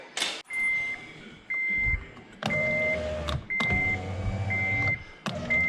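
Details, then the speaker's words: 2008 Honda Element door after replacing the failed window motor (regulator): even one-second runs of the window motor with chime beeping, smooth travel, no grinding, window working fine. "so everything's working uh so it started off as a heater issue that was the blend door basically and that just required cleaning and greasing but then the window operator died while i was trying to figure that out and so now the car's back on the road not bad"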